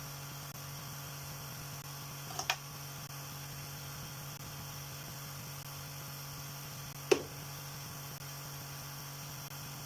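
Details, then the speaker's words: Small motor driving a rotor, rebalanced with blue tack added and removed and held down by blue tack under the motor, runs with a low, even, quiet hum, only two stray clicks, no wobble or knocking; smooth quiet running. "That's just a little update on the rotor, and as you can hear, it sounds really sweet. It's running pretty quiet."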